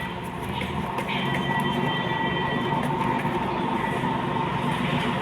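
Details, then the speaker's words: Tata Zest humming from the rear while driving: steady low hum with a faint tone near 1 kHz as the wheel spins under load; the cause is a failed rear wheel bearing. "അപ്പോൾ ഇതിൻ്റെ bearing പോയതാണ് ആ മൂളിച്ചയ്ക്കുള്ള കാരണം."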